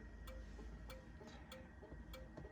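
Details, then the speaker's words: 1971–1973 Mustang, hazard flasher switched on from the steering column, heard from inside the car with the glove box liner removed while locating the flasher unit; crisp, even clicks about every 0.6 s: normal hazard flasher clicking. "Now and they're on the backup camera, you can see the red lights flashing. And listen and hear it clicking."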